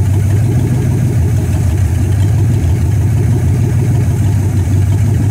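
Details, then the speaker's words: 1964 Dodge Polara 500 V8, parked since 1978, first run after five months of work (new heater core, radiator repaired, choke not yet set), started cold to warm up before driveway test: steady low rumble, even beat, no knocks or misses; normal cold idle. "right now we are going to fire it up warm it up and when it's warmed up we're going to put it on the ground and we'll move it around"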